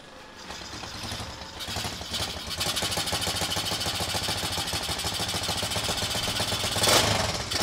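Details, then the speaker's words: Motorcycle engine started; steady even idle with busy mechanical patter but no heavy knock, quiet and healthy. "Okey, jadinya motor ni okey lah, enjin dia senyap"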